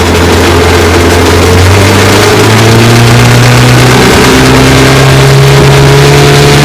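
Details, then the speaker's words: 1954 Johnson QD-15 10 HP outboard after full restoration, running on the water: pitch drifts and steps instead of holding steady, plus rattling, as vibration moves the carburetor needle valve because its lock nut behind is not tight enough; fix is tightening it. "That rattling and the vibration of motors moving this needle valve, so the lock nut behind there is not tighten enough."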